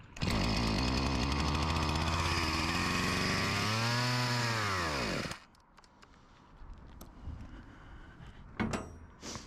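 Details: Husqvarna 254 G chainsaw, spark confirmed, fuel poured into the cylinder: fires and screams at high revs for about five seconds, then bogs and stalls as the primed fuel runs out. Owner suspects a carb job, not confirmed.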